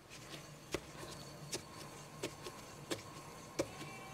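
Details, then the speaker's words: Tata Nexon front wheel spun by hand on a lifted car gives a faint rough whir with a sharp click about every 0.7 s and no play; worn front wheel bearing, noise rising with speed and in turns while driving. "इसमें अगर मैं play check करूं तो play इसमें भी नहीं है पर रोटेट करने पर आवाज आ रही है"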